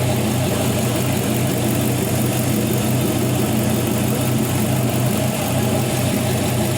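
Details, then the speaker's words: Gen 3 5.3L LM7 LS V8 with 140,000 miles on a test stand idles with a steady, even low burble, no misses, knocks or ticks, no exhaust smoke; normal idle. "this engine was well taken care of and i'll let you hear the idle here"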